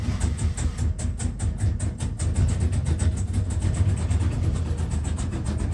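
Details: Carrier trailer APU small diesel after an oil drain that had been overfilled past the limit: pulsing unevenly with a lumpy low throb and hissy surge, lots of smoke; owner suspects too much oil or a filter, not confirmed.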